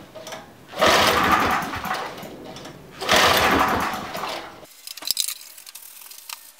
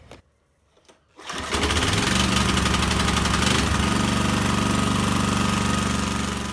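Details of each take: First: Briggs & Stratton 5HP site generator engine, rarely used, ignition on, fuel tap open, fast setting: two long cranking bursts, turns over but never fires; stale fuel suspected of clogging carburettor jets. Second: Briggs & Stratton 5HP single-cylinder site generator engine after carb clean, oil change and new spark plug: catches after a second of quiet and settles into a steady, even beat around four pulses a second; running normally.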